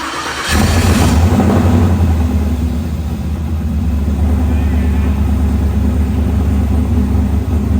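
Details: Snowcat with LS-swapped Texas Speed 408 V8, first start-up: catches after a short crank and settles into a strong, steady, even idle with no knocks or misses; healthy first start.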